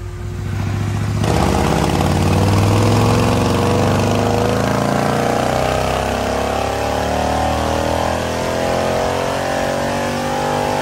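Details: Custom 2020 Harley-Davidson Road Glide, 130-inch T-Man Performance Stage 4 V-twin, warmed up, on the dyno. A deep, even roar holds at high load with no knocks, misses or rattles. Result is 155 ft-lb of torque and almost 153 hp, 140 ft-lb at 2600 rpm. Healthy, normal running.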